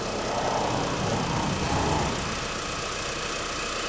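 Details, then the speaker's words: 2001 Mitsubishi Galant GLX SE 2.0 4G63 petrol, after new air filter and throttle body clean with carb cleaner: smooth even idle settling after blips, no hunting or surging, no smoke; running healthy. "No smoke, so that's good. Accelerates, drops down, to idle, and doesn't hunt."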